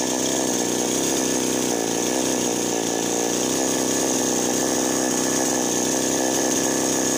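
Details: Chainsaw that would not start or stalled, after fixing a loose spark plug/ignition: steady high buzzing two-stroke holding even revs with no stumbling or cutting out; running cleanly.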